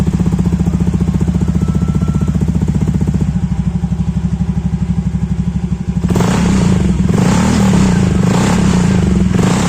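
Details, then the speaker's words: Honda KOJ-series automatic scooter (Beat, Scoopy, Genio) after fixing a mouse-like CVT squeal, with the CVT cover refitted; steady idle then revving with no squeal, the drive now smooth. "suaranya udah hilang ya. Udah nggak ada lagi suara berdecitnya, udah jadi halus."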